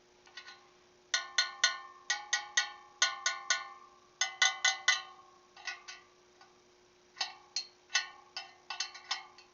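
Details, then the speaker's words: Motorcycle wheel on a makeshift truing stand after respoking, inner spokes tapped in turn: bright metallic pings, with one spoke's note duller and lower than the rest and feeling loose, marking a loose spoke. "You hear that one's just a little bit lower, and it feels a little loose too."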